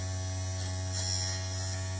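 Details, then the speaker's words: 1971 VW Super Beetle fresh-air blower motor (113 595 113) after resoldering loose brushes, apparently on slow speed; steady low electric hum with faint whirr, smooth, no scraping, normal running. "Well, look at this. She works."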